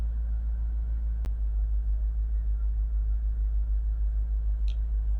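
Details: Mercedes SL55 AMG running again after its corrupted ECU was virginised, refitted and programmed to the immobiliser. A quiet, steady low idle with a gentle even pulse, one brief click, and no misfire or stumble. Normal idle.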